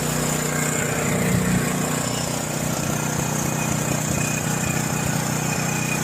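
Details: John Deere 6200-watt portable generator, dry-stored since Hurricane Ian with carburetor never drained, four years of old fuel varnished it; just started, half choke: uneven loping about three beats a second, hunting; rough running, maybe also low fuel.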